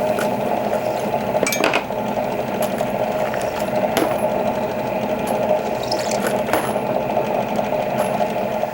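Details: Outside case-mouth deburring of rifle brass for a Dillon XL650 reloading setup, cutter chucked in a drill press, brass fed by hand; faint steady squeal with light clinks, the normal deburring sound.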